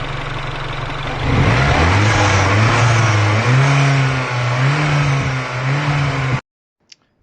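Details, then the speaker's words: R56 Mini Cooper S under boost: the intake coupling onto the induction hose pops off, revs climb and sag unevenly with a hollow rush of escaping boost. The boost leak is suspected of causing the knock codes; the fix is a noise maker delete hose. "and this is release it's becoming released so it's popping off when it's under boost and i'll put a video that in there so you can see that happening"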